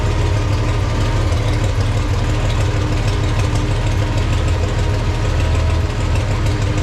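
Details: Farmall 460 tractor idling after points gap adjusted slightly closer, believed to advance timing slightly; charging gauge barely moves, generator or voltage regulator suspected; low even idle thump, steady rhythm, no misses or knocks, normal idle.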